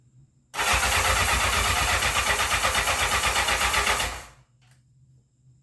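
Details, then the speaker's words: 1984 Honda CB700SC Nighthawk in for carb issues; choke tried at full and half, and the gas smells old. The starter churns in a quick, even rhythm for about four seconds without catching. No start. "when I was cranking it the first time with the choke all the way open I I could smell it smelled like it was old"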